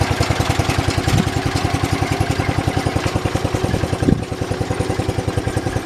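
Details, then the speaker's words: 1968 John Deere 112 mower single-cylinder engine after belt and variator work, steady thumping about three and a half per second, slightly uneven with clattery edge; owner suspects carburetor needs cleaning; rough running. "i think the carburetor might need clean as you guys saw i had to mess with it a little bit to get it to actually want to go"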